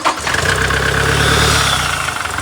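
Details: Toyota Fortuner diesel in the workshop, engine previously worked on, idling on battery before a test drive with air filter and parts still open; steady, even idle with smooth low beat, no knocks or misses, sounds healthy.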